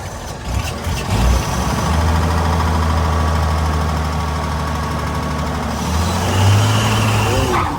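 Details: 1927 Chrysler sedan, not run in a long time, warmed up so choke is off, fuel pump run: old straight-six settles into a steady low idle with a soft even beat, no knocks or misses.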